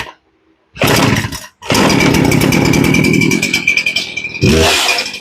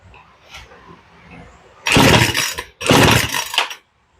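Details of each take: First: Poulan Pro chainsaw that sat a long time and wouldn't start; after the low-speed carb screw was turned up about 1/16 turn, it catches from cold, stalls briefly, then restarts and holds a crisp two-stroke run with a few revs. It now starts and runs properly. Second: Poulan Pro chainsaw, cold start without choke after carb tuning; two rasping starter-cord pulls with no firing, low-speed mixture too lean to start cold, fixed by turning the low up about a sixteenth of a turn.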